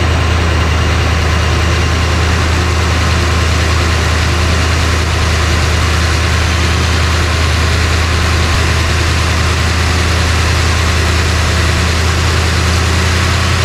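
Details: 1966 Ford Country Sedan big-block FE with a new big cam and solid lifters, breaking in at idle: a loud, steady, deep, slightly lumpy pulse with constant valvetrain clatter. Some smoke comes from one side.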